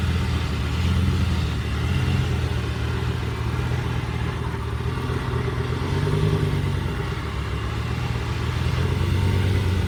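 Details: 2006 Lamborghini Gallardo Spyder (pre-LP) after Hurricane Helene: a low idle that swells and sags every couple of seconds instead of holding steady, a rough idle.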